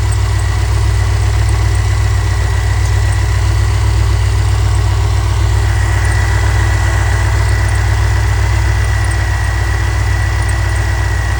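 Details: Chevrolet C10 V8 with Holley Sniper EFI, previously misfiring and backfiring, idling while timing is being set with timing gun to 15°; smooth even low rumble, no stumble or miss, normal idle.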